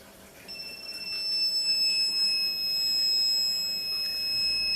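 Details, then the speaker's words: 4000 W Smart Power inverter that had sat unused for a long time and would not turn on: at switch-on a steady, piercing high-pitched fault alarm sounds continuously. "อาการก็จะเป็นประมาณนี้นะครับAlarmนะครับอ่ะถ้าเปิดแล้วมีเสียงAlarmนะครับผมก็ไม่รู้เป็นอะไรเหมือนกันนะครับ"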